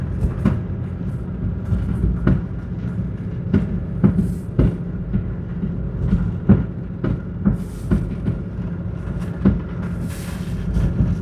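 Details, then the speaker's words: 1999 Toyota 4Runner at about 10 km/h while slowing with brake and throttle applied together: sharp knock every half wheel revolution over low road rumble, from right rear hub area. "it's every half wheel Revolution it's we're only going like 10 km an hour"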